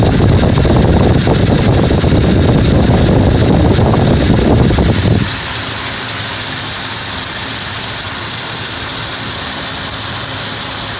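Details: Ford Explorer 4.0L petrol V6 settles to idle with a light, regular high chirp after timing chain, tensioner and head gasket replacement; persists without the accessory belt. Cause: the crankshaft gear behind the harmonic balancer was installed upside down, which broke the accessory belt; flipped it to fix.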